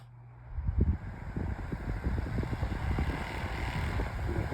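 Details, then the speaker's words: Sunbeam Blizzard fan (alternative to Holmes HOF85) on low speed: low rumbling hum with uneven rattly ticks throughout; excessively noisy fan, cause unclear. "Awful sounds. This is an absolute this is another reason why I say this is an absolute terrible fan. It's so noisy."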